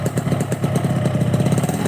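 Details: Motorcycle running with an aftermarket (KW) clutch housing; quick, even putting beat with no rattle or clatter from the clutch side. It idles steady, the clutch housing sounds quiet, and the engine sounds healthy.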